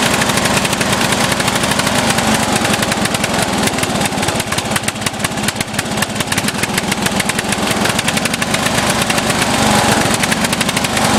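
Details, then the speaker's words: Offroad lawnmower engine, mixture screw fully in yet still over-fueling, black smoke: loud, steady speed, ragged uneven firing about three beats a second; running rich, cause not found. "it's smoking black smoke so I don't know what's going on with it"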